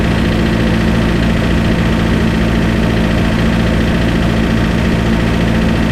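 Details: Spryte snowcat "Rusty" turbodiesel, just after fitting new OEM Zexel injectors with copper crush washers and priming: steady, even diesel idle with low rhythmic clatter, no misses or hunting; idles much smoother, rock solid after coming off acceleration.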